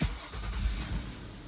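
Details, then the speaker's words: 2009 Nissan Murano that had stalled with a flashing check-engine light (P0300 random misfire, P0420) after a valve cover replacement. After the repair, with grounds re-tightened, it cranks quickly and settles to an even idle with no hesitation or stalling. "Jenny doesn't have any hesitation no stalling out and it's running fine now"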